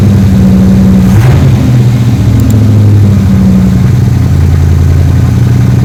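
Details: 3rd Gen Camaro Z28 carbureted V8 after replacing the plug wires and the spark plugs that caused a dead-cylinder misfire; deep, steady idle with an even beat and no stumble or skipped firing, now a normal idle on all eight cylinders.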